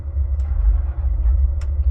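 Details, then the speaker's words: 2005 Ford F150 restarted warm right after a 5-gallon fill-up, stalling; gas pumped to raise rpm until it stabilizes: lumpy low rumble surging with throttle blips, struggling to settle, rich stumble from a stuck-open EVAP purge valve. "Okay, I'm pumping the gas, just kind of getting the RPMs up, trying to get everything to stabilize."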